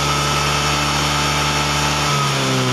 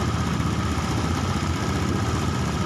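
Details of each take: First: Honda Beat ESP fuel-injected scooter revving up and down with a slightly uneven, wavering pull on blips, still hesitating a little under throttle. Hesitation ("brebet"); coil resistance normal, slight wiring corrosion; data judged only about 75% normal, O2 readings questioned. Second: Honda Beat eSP fuel-injected scooter being diagnosed for hesitation and rpm drops, with a suspected air leak; ticks over evenly at a raised idle, steady with no stumbling or misfire; normal idle.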